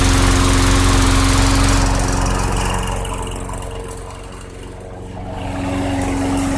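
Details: 2006 Craftsman 917.376160 6.75 hp push mower on 90-octane ethanol-free fuel, primer bulb possibly not working, deck rusted out: a smooth, regular putter that softens briefly and comes back strong with no stumbles or rattles, so the engine is healthy.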